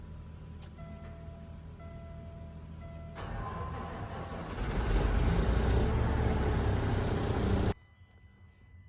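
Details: Heavy, sluggish truck cranking, low thump about four times a second, no start, while voltage drop is measured across the in-cab disconnect switch and at the starter; new batteries and starter didn't fix it.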